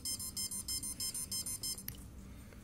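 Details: CX20 quadcopter ESC: a quick run of high beeps, about five a second, then silence; the speed controller is stuck in programming mode, and the suggested step is to unplug the battery and USB cable.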